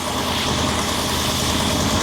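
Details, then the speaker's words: 1966 Ford Thunderbird V8 revived after years of neglect, no throttle linkage hooked up yet: smooth, even idle with a steady low rumble and no stumbles or ticking, purring better than in years. "but boy she's purring like a kitten I haven't heard it run this good I I can't remember when"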